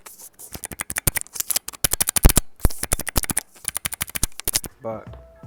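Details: Mechanical keyboard after hand-lubing the switches: quick bursts of soft, even key clacks with no scratch or ping between strokes; switches sound smooth and well lubricated.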